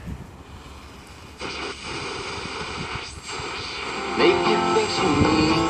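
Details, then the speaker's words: Radio fed by a 22-inch wooden loop aerial (10 turns of 1 mm enamelled wire, 500 pF tuning capacitor) set to resonate near 400 kHz, tuned to a weak station around 1200 kHz with the loop out of resonance: steady hiss, crackle and whistling over a faint station. "loop to resonate around 400 kilohertz, so I just want to give you a demonstration whilst it's out of resonance. I'm tuning the radio to a weak signal."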